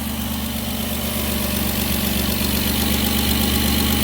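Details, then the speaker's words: Petrol engine idling after a coolant leak treatment, with a faint, regular puffing tick about four a second from a crack at the back of the front flex pipe: slight exhaust leak at idle. "you can also hear the very slight exhaust leak that's in there the front flex pipe on this at the back there has a crack in it"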